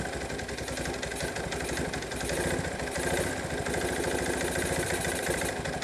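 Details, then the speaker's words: 1986 Kawasaki KLT185 three-wheeler, long-sitting, revived, after a failed rev-up: single cylinder thumps unevenly with firing pulses varying in strength; rough idle, owner suspects a partially stuck choke or a worn-out carburetor. "baby steps baby steps I don't know the choke might be stuck partially I don't know yep carburator is probably shot"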